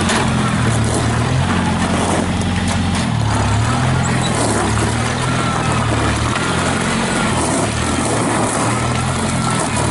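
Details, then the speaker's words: 1955 International Farmall Cub tractor with 3-speed gearbox, sat all winter on a battery maintainer: a steady, even, quiet engine drone with no knocks or misses. It idles nicely, holds good oil pressure, has no blow-by, and runs healthy. "you can hear how quiet that tractor is everything on your Driveline takes grease"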